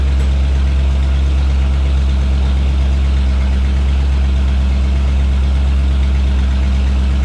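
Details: 1989 Jeep Wrangler YJ on newly installed ACES EFI, timing confirmed at 15° advance before IAC linkage adjustment; deep even rumble with steady beat, no knocks or misses; normal idle.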